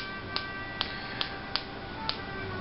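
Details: Slayer Exciter wirelessly charging a stack of capacitors, which self-discharge: sharp spark clicks about twice a second over a faint steady electrical whine; periodic spark discharge clicking.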